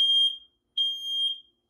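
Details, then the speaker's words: Fire alarm system test on a Fire-Lite MS-9200UDLS panel: the kitchen smoke alarm sounds clean, strong high beeps, two long tones with a short gap, and keeps going about 20 seconds after reset; sounding normally. "so because of the nature of these smoke alarms they go off for around another 20 seconds after they shut off so that"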